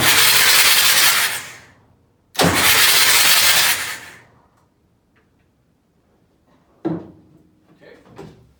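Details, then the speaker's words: Junkyard Massey Ferguson 1155 tractor engine, long parked, cranked on two batteries with injectors removed: two long even cranking bursts with loud hissing and no compression beat, oil shooting out; turns freely, not seized. "all right well there's some good news that thing rolls over pretty good they're shooting all the oil out so hey that's a step in the right direction"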